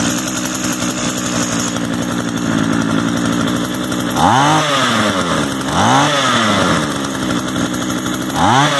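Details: Used Echo gas trimmer of unknown history, just started and choke off, idle being adjusted. Even buzzing idle with three quick throttle blips rising and dropping back cleanly: small two-stroke running normally.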